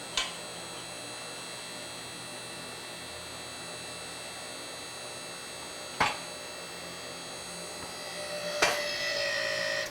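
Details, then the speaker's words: Newly assembled QuickJack BL-5000SLX lift, first test run with no car or weight on it; steady, even electric pump motor hum with a clean whine rising near the end, then cuts out; normal pump operation. "Again, I don't think they're designed to work without weight on them. But I want to do a test run before I put a car on it."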